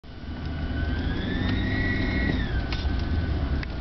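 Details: Intermittent rough grinding tone from the engine that follows RPM over a steady engine note, worse when cold, goes away in neutral at idle; not from the stereo, source unknown.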